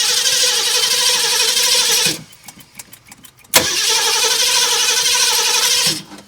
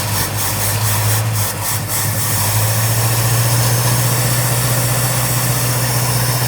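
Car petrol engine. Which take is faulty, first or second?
first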